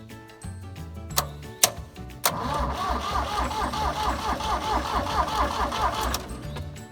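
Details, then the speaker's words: Diesel tractor that ran out of fuel, cranked after bleeding the fuel filter to push air to the injectors: steady starter churn with rough uneven beat around two per second, never catching; air in fuel system. "so we're going to crank it to get the air to the fuel injectors and build pressure in the system so we can bleed them out"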